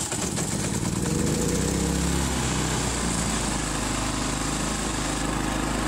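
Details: Harbor Freight Predator 3500 W generator, 1000 hours, just serviced (new spark plug, air filter cleaned, oil changed, spark arrestor cleaned): fires on choke and quickly settles to a smooth, even buzz at steady speed, no surging; normal running.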